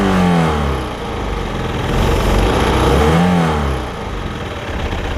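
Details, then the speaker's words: Stingray boat, MerCruiser 3.0 four-cylinder, sat 9 years, after new fuel pump and carburetor and freeing a rusted throttle collar: smooth idle at about 800 rpm swelling cleanly on two throttle blips and dropping back evenly; normal idle and rev. "i'll let y'all hear it rev it's idling at like 800 rpm so that's right on the money"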